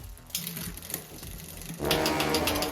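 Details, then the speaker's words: Giant Talon mountain bike during 3x9 drivetrain rebuild, rear derailleur shifting fine: a fast, regular scraping tick while the cranks spin, the chain rubbing badly on the front derailleur. "But listen closely, the chain is rubbing really bad on the front derailleur."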